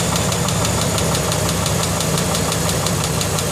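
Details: 2004 Dodge Durango 5.7 Hemi at idle: loud, quick, even valvetrain tick over a steady V8 that developed overnight; the dealer suspects a lifter, unconfirmed without teardown.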